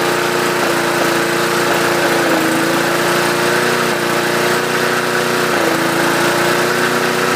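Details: 2008 Yard Machines 20-inch mower, 148cc 4.5 HP 300-series engine, after carb rebuild, new air filter, primer bulb and oil change: steady idle with a brief hiccup every few seconds; owner suspects cheap spark plug, will fit Champion.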